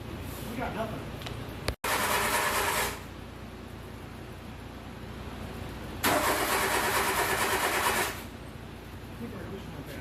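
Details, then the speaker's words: Le Car, an old French car, started with choke halfway; it catches in rough, uneven bursts for a second or two, then falls back to cranking. Owner suspects bad points and poor ignition cables and plans new points and wires. "we got a running we did get a running yeah I think our points are bad I think we should order some new points and some new wires"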